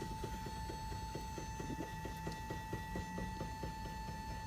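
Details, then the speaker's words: XYZ da Vinci Jr. 3D printer homing, extruder moving down the Z-axis: steady motor whine with quick light clicks about two per second; a part came off, but it still prints; cause unknown. "There is a little bit of clicking, if you can hear that, and this kind of came off, but that's not really a big deal. Still works when you print."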